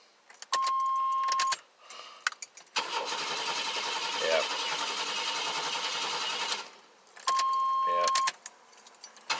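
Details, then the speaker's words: Vehicle cranking after key-on prime: chime, then about four seconds of steady cranking that never catches, with no fuel pump hum; no fuel pressure at the injectors and it briefly ran on starting fluid; crank no start, failed fuel pump. "i'm gonna prime the system a couple times i don't even hear it humming anymore you used to be able to hear it humming and i don't hear nothing"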